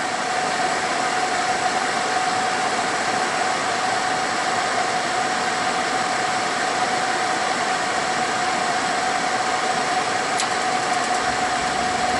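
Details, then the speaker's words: Suburban SF-30 propane RV furnace after repair with a new control board, ignitor and sail switch, first run after a long idle: steady, even burner roar with a faint hum and no surging or clicking, heating normally. "oh that sounds good we have heat oh yeah if it's been a long time since this thing is run okay well I'm sure glad to hear that"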